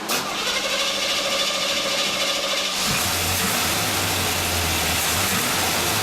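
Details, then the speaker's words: Engine starts and idles evenly after exhaust reassembled and heat riser patched; exhaust puffing much quieter, leak largely sealed though not completely eliminable. "Sounds a lot better." "oh boy that sounds a lot better"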